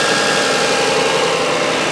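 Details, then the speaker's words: Toyota Highlander after replacing the alternator with a bad bearing and fitting a new belt: steady even idle hum with a faint constant whine, no squeal, chirp or belt slip on start; charging normally, no alternator light. "And now we'll start it, and then you'll see kind of how it sounds with the new alternator. And then we'll go look and see if the alternator light's on, because it should be charging well. Nice and quiet, no slipping sound when it started."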